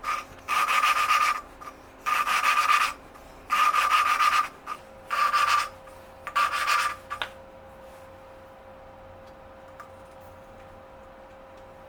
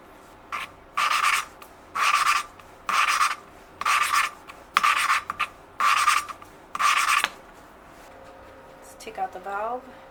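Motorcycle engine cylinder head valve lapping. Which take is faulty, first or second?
first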